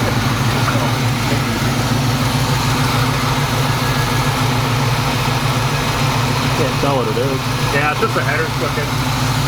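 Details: 1980 Chevrolet Camaro Z28, factory LM1 350 with Turbo 350 automatic, after about 5 years parked: a deep, steady V8 burble at constant idle with no knocks or misses; the engine runs normally after long storage.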